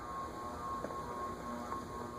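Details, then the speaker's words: 1983 Japanese KDK Royalaire 52-inch ceiling fan D52YU, 16-pole motor on a solid-state speed control at mid setting: steady high hum over quiet fan run, noise goes away on high. "six you can hear that it's pretty noisy Holden eyes goes away on high"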